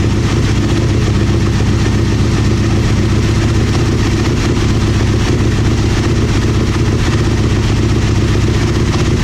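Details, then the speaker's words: Aprilia Mille R V-twin with fuel pressure regulator removed, fuel pump on: rough, uneven beat that revs then falters and stalls; owner suspects fuel pump not holding pressure but is unsure, stalling after revving. "then it dies so the I think the fuel pump is uh it's not keeping the pressure however I'm not 100% sure that that that that's the problem"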